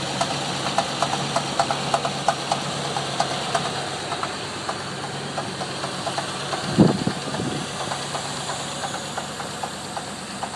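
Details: Land Rover Discovery 3.9 petrol V8 idling with a regular sharp clunking knock about three a second, after a hydrolocked cylinder, top end removal and freshened injectors and regulator; cause unknown.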